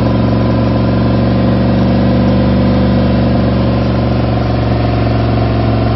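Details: Freshly rebuilt V8, first start after new gen 4 rods and pistons, new oil pump, new cam and lifters, all new gaskets; loud steady low rumble with even firing beat, no knocks or ticks; smooth healthy idle.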